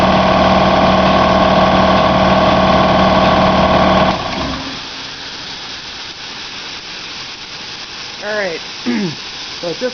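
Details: Home air compressor with a homemade condenser air dryer and a second check valve, run from 100 PSI. Steady motor-and-pump drone, then cut-out at about 145 PSI into a longer hiss as the condenser drains; normal running.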